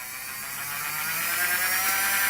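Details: LGB small locomotive Bühler 7-pole motor and reassembled gearbox on bench supply, voltage rising through about 5-15 volts: smooth high whir rising slightly in pitch, no clicking or grinding; normal running.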